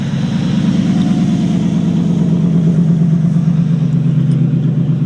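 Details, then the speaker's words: Chevrolet Camaro Z28 V8 donor car, 107,000 miles, first start after 4–5 months sitting, cold idle at 1,000 rpm. Loud, deep, lumpy burble with raw exhaust bark; the exhaust has rotted off at the catalytic converter, an exhaust leak. "Exhaust rotted off the cat. So, oh yeah, listen to that big V8 purr,"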